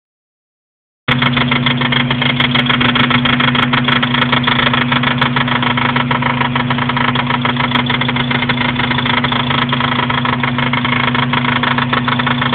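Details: Acura RSX-S at steady idle with a fast, light knock about three per second that comes and goes, from behind the transmission mount; not engine or transmission, source unknown.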